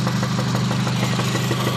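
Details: 2006 Honda Civic Si, 122k miles: sharp regular knocks over a rough engine note, continuing as revs rise; owner suspects spark knock rather than rod knock, though titled rod knock. Engine knocking, cause unconfirmed.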